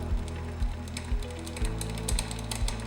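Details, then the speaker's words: Rear derailleur on an ebike, chain on the smallest cog while pedalling, H limit screw deliberately tightened too far: steady raspy ticking with a dull thump about twice a second; chain rubbing the second smallest cog, fixed by backing the screw off quarter turns. "So what we're going to do while you're on the smallest cog is pedal the bike, find your H limit screw, and tighten it until it starts to rub on the second smallest cog, and you can hear it start to rub."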